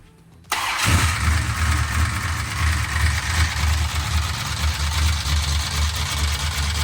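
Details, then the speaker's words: 1968 Dodge Charger with a big-block 440, pushrods changed but not the lifters: the engine idles with a quick, light tick about three times a second, keeping time with the engine. Valvetrain tapping; the source is still being isolated. "All right, here's our solution to trying to figure out what the noise is. We put these things back on right here, and we're gonna see if we can figure out which one's making the ticky-tack noise. Tickety-tack, clickety-clack."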